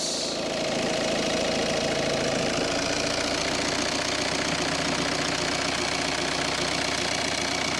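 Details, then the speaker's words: 2011 Kia Sportage 2.0 CRDi diesel, about 66,000 miles, just after a fuel filter change with no leaks found: steady, even diesel clatter at a settled idle with no misses, hunting or knocks. Runs fine after the service. "all looks nice and dry turn that off now so it looks good seems to run fine"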